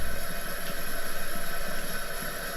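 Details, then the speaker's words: Second burner of an old Coleman camp stove unused for possibly decades, lit for the first time in years, smoke burning off spider webs and debris; steady low roar with quick even flutter; burning normally. "there it goes burning for the first time and who knows how many years"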